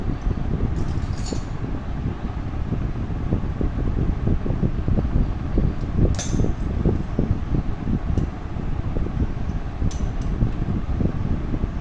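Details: Old rusted sewing machine: a rough, dry clatter from an unlubricated part, and the noise stops once oil is applied at that spot.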